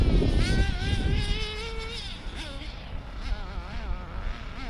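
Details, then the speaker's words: Hobao Hyper 7 nitro RC buggy after new generic clutch, exhaust gasket and elbow, idle leaned a quarter turn: idle suddenly flares into high buzzing rev that wavers and won't settle; runaway at idle, owner suspects the clutch. "That was a runaway there. See, that was a runaway there. So it went off, it sort of just went off by itself."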